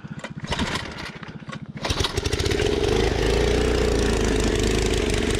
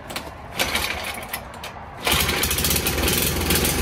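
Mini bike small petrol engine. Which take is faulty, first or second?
first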